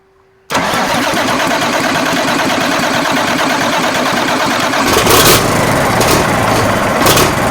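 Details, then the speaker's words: Marmon 57P Aero with a newly fitted engine, first start on batteries after injector work: it catches and settles into a loud, uneven, lumpy idle as if one cylinder is missing; cause not confirmed. "hold on we gotta feel like no we just got to get the idle sounds like it's missing on uh yeah yeah"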